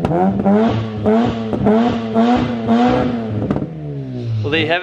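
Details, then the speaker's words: Warm Mazda 13B rotary (RX-8 engine) in E36 ute after oil cooler install: repeated blips with pitch rising cleanly and smooth even tone, settling back each time; runs healthy, no oil leaks. "oil cooler is installed this thing runs magically"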